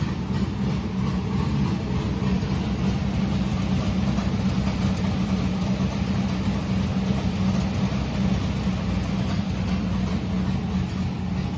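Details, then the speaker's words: Historic Richard Petty #43 car's V8 on its first test drive after weeks of work; deep, steady rumble with no misses or knocks; runs strong despite heavy smoke, suspected from valve guides in the heads. "Boy, that thing runs like a scalded ape though, smoke and all. Very pleased."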